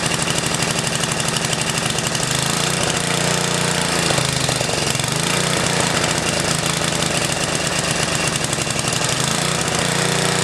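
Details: 10HP Tecumseh snowblower engine on its first run after restarting once fuel caught up: a loud, even single-cylinder chug holding steady speed with no misses or stumbles, running normally.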